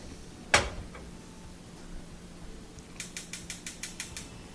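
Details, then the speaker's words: Wolf gas range, after cleaning the corroded, dirty burner head: one knob click, then eight quick igniter snaps that stop as the burner lights with a good flame; constant clicking fixed. "There we go. Nice flame and no more clicking. So that solved that problem."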